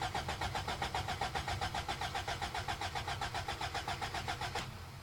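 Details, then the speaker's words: Toyota pickup 22RE 4-cylinder, 5-speed, freshly bought, battery fitted: even cranking near four beats a second for five seconds, never firing; crank no start, owner suspects fuel pump not running though fuel gauge reads full. "Get a stick and stick it in there and see if the fuel pump kicks on. I do not think it's fuel pumping. It's really unfortunate because the fuel gauge says full."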